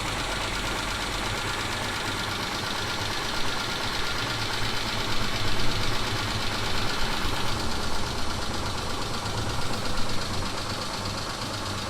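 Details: 2000 Mitsubishi Montero Sport petrol V6 cold start: quick uneven knocking through low idle rumble, not like hydraulic lifters, lasting about 3-5 minutes then vanishing once warm; cause unknown.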